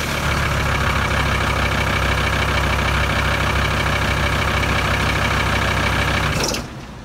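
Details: VW 2.5 TDI van (ACV/AJT engine) right after the diesel pump timing was set to 0.55 and the cam pulley bolt re-torqued. Steady, even diesel clatter with no misses for six seconds, then a clean shutdown: timing confirmed spot on.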